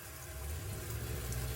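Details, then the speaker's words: RV water pump with an intelligent pump controller, pressure set to 50 psi (factory 30), faucet opened from trickle to full flow; low, smooth, even hum rising slightly, quieter with no surging; normal operation. "Speeds up there. Still a lot quieter. But at full bore, it runs still, I think, a little quieter and smoother than normal, because I don't think it's getting to the full 55 psi the pump's capable of."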